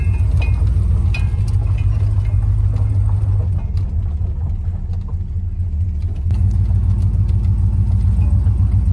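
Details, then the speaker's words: Plymouth Fury with Mopar 383 V8, running well then knocking again: deep idle rumble with a loose uneven knock about three per second; rod knock, engine to be pulled and sent for rebuild. "but the the engines starting to knock again so pull one in the shop pull the engine out of it and send it off to a guy to have it rebuilt"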